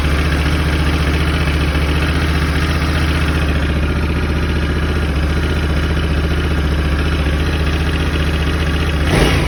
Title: 2021 Africa Twin DCT Cold Start Engine Rattle